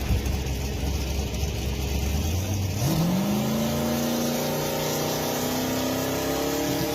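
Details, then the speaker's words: Drag car making a fast pass: low drone suddenly jumps then climbs only slowly for a moment as the dump valve closes and briefly bogs the engine. "Pay attention and you'll hear the dump valve close and kind of bog the engine. But that's what that sound is, the dump closing."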